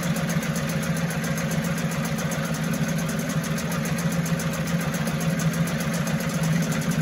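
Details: 1974 Mercury 4 hp single-cylinder two-stroke outboard, made in USA, revived after long storage: steady, even pop with no misses, knocks or surging; sounds healthy and settled, sweet easy-starting machine, normal running.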